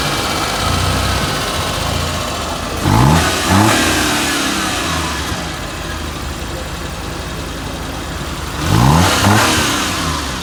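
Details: Suzuki Mehran small petrol engine idling evenly with two short throttle blips that rise and settle cleanly, no knock or tick; running normally.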